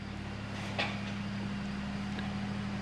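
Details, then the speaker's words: Big tractor hauling a load of hay up a steep hill: a deep, labored diesel drone with no rise in revs as the engine bogs down under load and needs to drop a couple of gears. "you can hear it bogging down that big tractor is going to have to drop a couple of Gears to get up there"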